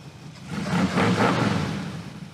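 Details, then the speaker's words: Pro Street V8 car just revived after reconnecting a disconnected ballast resistor, run on fuel and starting fluid, radiator mostly rust: engine swells up through a smooth rev and settles back without stumbles or misses; healthy running and revving. "That sounds remarkably good. We're doing burnouts."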